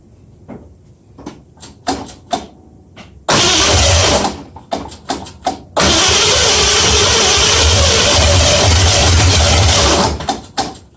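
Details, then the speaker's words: 1965 Mustang first start after fitting new headers, moving on from the 2bbl: short cranking bursts, a brief catch that dies, then a loud ragged run; owner got something wrong, unsure of timing, suspects firing order too. "well i'll just say i got something wrong no idea how close my timing is i might have my firing order messed up too"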